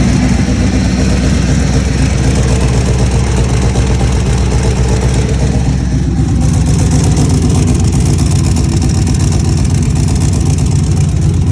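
Engine idles then revs, with a quick puffing tick about four times a second over the exhaust note, possibly a leak.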